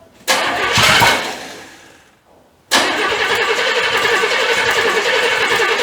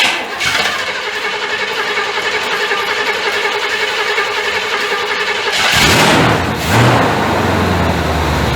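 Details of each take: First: 1985 Chevy C30 after diesel-to-gas engine swap, first fire-up; cranks, catches, dies, then refires into an uneven, lumpy, stumbling run, sounding like it's hitting on about 3 cylinders; firing order suspected, not confirmed. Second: 1985 Chevrolet C30 gas-swapped engine, cold start on fast idle: catches after a short crank and holds a steady, slightly high idle with no misses, knocks or smoke; normal fast idle.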